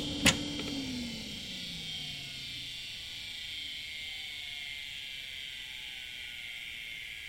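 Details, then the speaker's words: HP Vectra i386/25 retro desktop PC running normally after its power supply was repaired (capacitors resoldered, two faulty 12 V cables replaced): sharp click, then a low hum sliding down under a constant high whine from fan and drive. "Mais ça, ce sont des bruits que vous allez plus jamais entendre."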